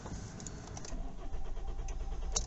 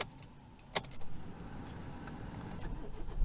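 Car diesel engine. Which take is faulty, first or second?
first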